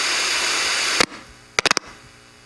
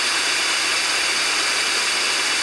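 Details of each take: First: 10 V zener diode with a 68 µF 16 V tantalum capacitor placed across it. Loud hiss and a few clicks, then near silence with only a faint low hum; decoupling removes the zener noise. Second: 10 V Zener diode without a tantalum decoupling capacitor across it, output amplified: steady static rushing hiss like a radio tuned between stations; Zener noise, fixed by fitting a capacitor (e.g. 68 µF) across it.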